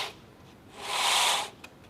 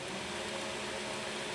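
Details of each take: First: 2x72 belt grinder, 2-inch version, belt turned by hand. Three slow hissing rasps as the belt scrapes across a platen and bracket set too far forward. Fix is to loosen the two bracket bolts and move the platen back to leave about 1/16 inch or less. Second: 2x72 belt grinder, 2-inch version, running at moderate speed after tracking was set with the secondary tracking adjustment. Smooth, even belt hiss with no flapping, slapping or rubbing; the belt is tracking true and running clean.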